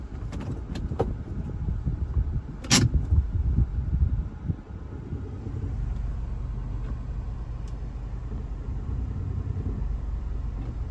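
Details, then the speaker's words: Honda Element pulling away from a stop after installing a cheap aftermarket catalytic converter heat shield: a few sharp metallic rattles at takeoff, when the engine moves most, then a steady engine drone. Rattle mostly fades after that. "Hear a slight rattle taking off at a stop when the engine has the most movement. After that, I don't really hear it anymore."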